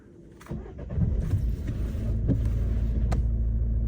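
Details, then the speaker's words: Auction-bought damaged Peugeot 208 showing engine fault repair needed warning: starter catches and engine settles into steady, even idle clatter with no knocks or misses; sounds healthy, fault likely broken cable or connector (suspected). "Oh, that sounds spot on."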